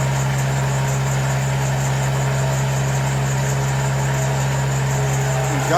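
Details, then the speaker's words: First start after an engine swap, run only briefly: steady, even low drone with no knocks or misses, settling into a smooth quiet idle; normal idle. "but this just initial crank to see if can start good signs making noise good"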